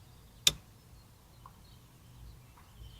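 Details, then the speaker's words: NB Mazda Miata that won't run, key turned on to test the suspected fuel pump: one sharp click from the fuel pump relay under the dash, then quiet with no pump hum; the relay works but the fuel pump is dead. "Okay, well, my fuel pump relay is working and my fuel pump is not."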